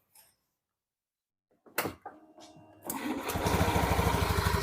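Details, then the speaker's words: Honda Beat Pop scooter after the CVT repair, with the CVT casing refitted, started and revved: a brief crank, then a steady, even, barely audible idle with no knocking or rattle from the belt drive. Normal idle. "Tidak ada masalah lagi yang tersisa, temanku. Ini aman, ya . Halus seperti baru lagi, temanku. Hampir tidak terdengar, ya."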